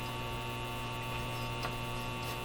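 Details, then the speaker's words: 1930s Eaton's Universal Electrohome floorstanding AM/shortwave tube radio at first power-up with no antenna: constant low steady hum with a faint buzz that doesn't change while tuning; mains hum in the audio, possibly two hums, suspected. "Here Comes same sounds like the same hump could be two homes in there oh two humps better than one"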